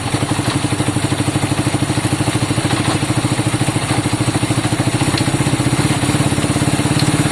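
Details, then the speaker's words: Honda CB200 running, fuel off, while the gearbox is tested through all the gears. Even, quick firing beat holds steady, no knocks or grinding. Sounds healthy, normal running. "Nice. Shall I stop it? Went through all the gears, hey John?"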